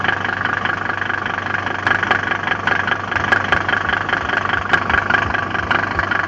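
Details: Mercedes OM605 diesel idling: a steady beat with sharp irregular knocks on top, roughly a hundred a minute; engine knocking at idle of unknown origin.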